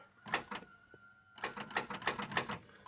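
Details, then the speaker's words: 1970 Plymouth Fury III convertible, 318 two-barrel V8, A904 automatic, won't start: bursts of sharp clicks with no crank; starter fault suspected, probably a connection or ground, not confirmed. "wrong with the starter probably a connection we will figure it out but that's annoying"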